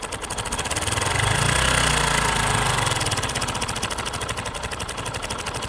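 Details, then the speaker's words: Motorcycle engine idling with a fast metallic rattle from the clutch side: cam chain (timing chain) noise, possibly from a tensioner fitted with its push rod fully out, letting the chain rub. "this is called cam chain or timing chain noise it comes from the clutch side of the engine"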